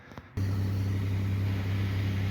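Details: 2008 Pontiac Grand Prix 3.8L V6 after replacing ignition control module to cure cylinder 2 and 5 misfires (coil packs replaced earlier didn't help): catches instantly, smooth steady low idle, no hesitation or miss.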